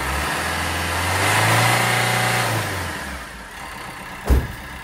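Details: Peugeot Bipper 1.3 diesel after injector and fuel filter repair for cold diesel knock: revs up and settles back to even, steady idle with no rattle or knock; knock fixed.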